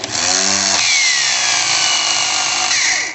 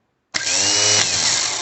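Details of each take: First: Starter motor spinning with high, shrill whine, pitch sliding as the bendix drive shuttles back and forth; starter stayed engaged and spun with engine; worn slider on the bendix shaft where the shift fork engages. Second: Starter motor that stayed engaged and spun with the engine, after fixing the worn Bendix shaft slide: bench-run spins up instantly to a high, steady whir, smooth with no rattle, working normally.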